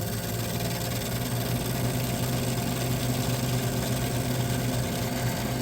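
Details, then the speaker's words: 1978 Gibson Air Sweep 5900 BTU window air conditioner, blowing cold: steady low hum with an uneven, rough throb underneath; the condenser fan may be out of balance and need balancing. "I'll bring this to the uh the air conditioner meet hosted by the air conditioner guy so I can get this issue fixed yeah the condenser fan blades may need to be balanced"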